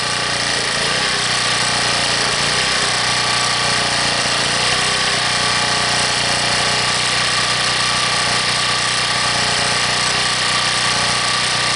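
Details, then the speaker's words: Harbor Freight 1800-watt generator after a cold start at 15 below, now warmed up, off choke and not yet loaded: steady, even drone with no surging; hunting has stopped, steady idle. "Now, as you hear, it's not hunting anymore. So, it's warmed up. It's not on the choke anymore."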